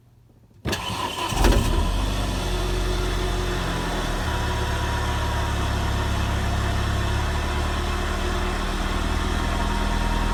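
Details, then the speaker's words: Renault Megane RS Cup 225 after new eBay fuel pump assembly fitted, low on fuel: brief crank, catches cleanly into steady smooth idle with even low rumble; new pump audible unlike the previous one, no leaks; runs healthy. "What's interesting is I can actually hear this fuel pump. I couldn't hear the previous one whatsoever."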